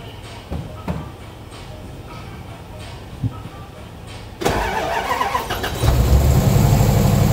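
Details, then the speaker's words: Engine with random misfire codes, during a coolant combustion-gas (head gasket) test: it cranks and catches, then runs loud and uneven with a ragged beat. Misfire suspected from injectors or spark plugs, not confirmed. "takes ready you can hear running bad um it could be one of many things why it's running bad it could be injectors could be spark plugs could be whatever but it's very loud"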